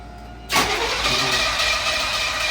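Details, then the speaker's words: 1981 Corvette sat 15 years in a shop, coil wire disconnected; engine turns over at a steady, even pace with no lopsided beats or gallop: normal cranking, even compression. "She's alive. That sounds really healthy. No more big gallop in there. Cylinders sound good."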